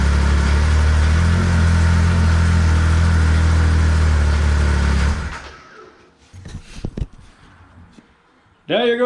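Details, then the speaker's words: 2014 Arctic Cat CR 7000 snowmobile that kept starting in reverse, after the fix: the part was found 180 degrees out of position and reset. Steady, even low idle drone for about five seconds, no knocks or grinding; normal idle. "that was the problem the motor was 180 degree on the wrong position and not"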